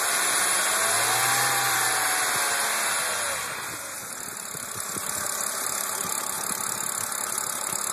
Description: Bruit de cliquetis dans le moteur